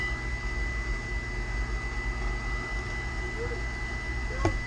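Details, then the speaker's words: Rheem gas water heater power vent exhaust blower assembly (part AP15109-1) running before replacement: steady high-pitched whine constantly above low blower hum, no pitch change; blower motor whine is why it is being replaced. "As you can hear, right now it's running, and the reason I'm replacing it is because of the noise it makes, the whining."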